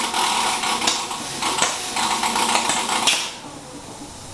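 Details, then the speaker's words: New plasma cutter cutting: hiss stutters and drops out in uneven bursts before cutting off; owner says not enough power from the supply, ongoing since moving in; plasma cutter sputtering from insufficient power supply. "there's something wrong with machine I have no idea sounds like maybe the context on the inside I messed up trying to be I'm pulling your zing because I know what the issue is the issue is there's not enough power"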